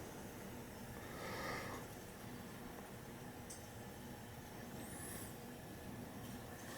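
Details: Oil-fired pancake boiler after a service, following an oil smell and earlier spitting and sputtering: steady, even flame roar as the burner fires cleanly, burning off a little leftover oil.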